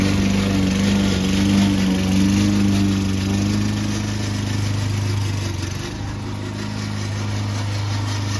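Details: Old Toro Recycler mower cutting Kentucky bluegrass, binaural recording: a steady single-cylinder drone with a coarse, rattly edge and no rev change. The noisy drive system was later fixed with WD40.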